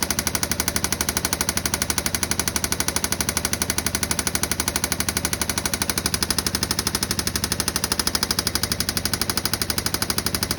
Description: 2016 Yamaha Viking EPS engine knocking. What could be the issue?